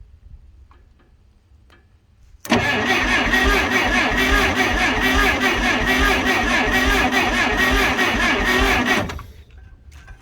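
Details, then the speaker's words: Clark C500Y45 forklift with Waukesha D176G engine rescued from scrap, worn distributor cap graphite and points: starter spins the engine in an even chug, about two and a half beats a second for six seconds, never catching; crank no start from very weak spark. "there is spark but it's very very weak I can barely just see it"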